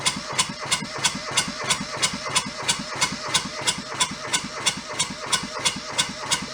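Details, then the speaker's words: Junked small Kubota diesel from a scrapyard, cranked with throttle lever fully open: very regular starter chugging about three compression strokes a second, never catches; they suspect air being sucked into the fuel hose, unconfirmed. "anywhere that it would suck air would be an issue if it runs out the hose"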